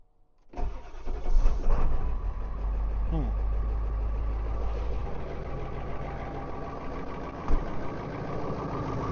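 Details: Ford 7.3 diesel truck in cold weather about 22°F, aftermarket block heater, glow plugs cycled twice, weak jump box: cranks briefly, catches, then settles into lumpy wavering low idle; hard cold start, rough idle.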